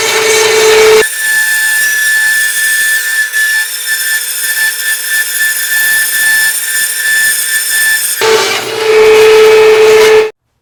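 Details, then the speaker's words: Harbor Freight bandsaw with replacement Leeson 1 hp motor, belt on what the owner thinks is the highest-rpm pulley setting, cutting stacked two 2x4s: motor tone holds pitch through the cut without bogging or stalling, then spins free; healthy under load. "all right so i think i got everything dialed in i did a cut right there and it worked really really nice um it went really good i could push hard you know not hard hard but like it wouldn't stop even if i pushed real hard it would just keep on going"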